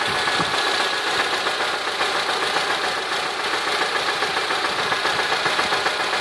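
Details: 2008 Honda Civic petrol engine idling at around 170–185k km with a steady, rapid knocking through a bright, rattly mechanical clatter; owner attributes it to a bad bearing, unconfirmed, and the noise stayed unchanged over 15k km.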